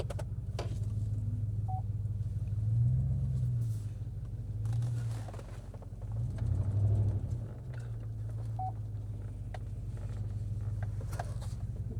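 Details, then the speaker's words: 2012 GMC Yukon just revived, running on fuel a year to a year and a half old with the exhaust cut off: low, uneven idle with stumbles and surges; rough, stuttering running, owner suspects the old fuel and possibly plugs. "It runs it runs half decently for year old fuel. So it doesn't run very well and it stutters and spitters a little bit. It may need plugs, but the fuel is also year year and a half old."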